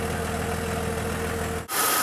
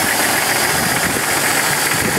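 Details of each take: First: 2000 Jeep Cherokee XJ after replacing the lifters to cure a worsening lifter tick, heard at the tailpipe: smooth, even idle with no missing; normal idle. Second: 2000 Jeep Cherokee XJ six-cylinder at idle: harsh fast top-end ticking, about four a second, diesel-like clatter, worsening over time; owner suspects a sticking lifter, plans lifter replacement.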